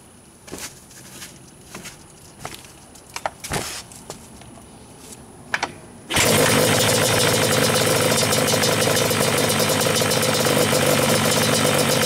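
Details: Yamaha Banshee two-stroke twin with stock carbs, kick-started with the idle screws at a halfway baseline turns in from contact. A few kicks and clatters, then it fires and settles into a busy, even idle with no stumbling: normal idle.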